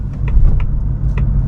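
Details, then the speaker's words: 2024 seventh-generation Ford Mustang GT V8 manual with twin-disc clutch, driving POV; deep steady rumble with dull low thud as it goes into gear, caused by the twin-disc clutch; normal engagement. "You might have heard it thud there as it goes into gear because of the twin disc."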